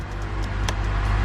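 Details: 2007 Honda Accord idling right after a new starter was installed to cure a no-start, with no engine light now on: short stretch of low, steady hum with no knocks, misses or surging; smooth, healthy idle.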